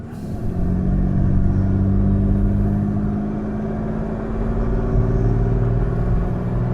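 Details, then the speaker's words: 1967 Jaguar Mark 2 3.4 automatic, after repair of backfiring under acceleration: deep, even rumble pulling a steep hill cleanly to 3,000 rpm with no misses, pops or spluttering; the fuel/running issue is believed solved; normal acceleration under load. "Yeah, once again, clean pull to 3,000 RPMs. I believe we've probably solved the fuel issue, or the running issue."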